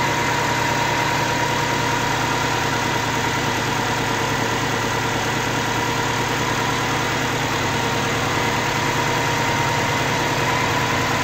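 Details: Subaru Forester XT 2.5 turbo EJ25, rebuilt on an 800 hp closed-deck block after blowing up, initial startup on break-in tune: steady, even idle with constant low drone, no knocks, ticks or misses; sounds balanced.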